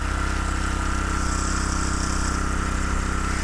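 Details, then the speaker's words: Homemade mini tractor with a 6.5 hp Harbor Freight Lifan single-cylinder engine, said by the seller not to run, first start, off choke: crisp, even putter at steady speed with no misses or knocks; healthy. "Whoa! It sounds good! Sounds really good. It's off choke."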